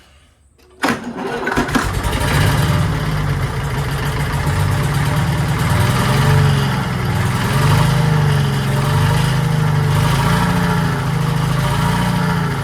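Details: 1940s Allis Chalmers D5/HD5 crawler, two-stroke Detroit 271 diesel after long storage, restart: cranks, catches within a second, settles to steady deep slightly wavering idle; sounds good but smokes, owner suspects injector, plans replacing it.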